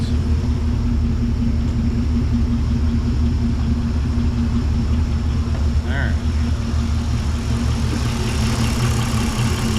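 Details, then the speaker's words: Nomad at first fire after build: steady, even low rumble with no knocks or misses, settling into a healthy idle; temp gauge not working and lights flickering. Normal idle. "First fire. Alright guys, overall success. Engine sounds good."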